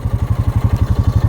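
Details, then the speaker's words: Four-wheeler breaking trail in deep snow after 37" snowfall, dragging bottom: deep, rapid chattering thumps, about seven a second, mean the wheels are spinning without grip and the quad has stopped moving. "I have stopped moving when it Chatters like that it means the wheels are spinning"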